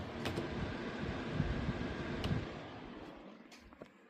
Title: Gigabyte 7900xt - fan grinding sound ( 2 months old )